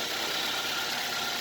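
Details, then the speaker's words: Used car, heard through open window: quiet, even idle with a smooth, unbroken hum and no ticking or knocking; normal idle. "bisa dipastikan Enggak ada masalah jenis ini Karena normal gitu apa suara mesinnya itu normal jadi halus begini"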